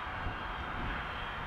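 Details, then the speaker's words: C1 Chaser wing on Matek F405-WMO with 4S 18650 pack and new extended motor mount, in flight: steady propeller drone at constant pitch with wind rush, no rattle or buzz, about 3.9 A at cruise; less noisy, running smoothly. "Oh yeah, that's nice. It's not as noisy. Current 3.9 amps. That sounds pretty good. Cruise."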